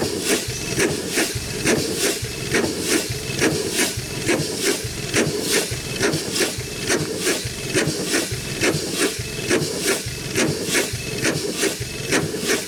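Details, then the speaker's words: 100+ year old Chicago Pneumatic steam engine/air compressor, first run in decades, compressor head off: slow even chuff a little over once a second, sharp hiss every stroke; runs well but steam escapes past packings needing adjustment. "okay folks running good welfare I guess it's uh good as we could ask for except as long as it did gonna need some packings and uh probably just some package adjusted and stuff too"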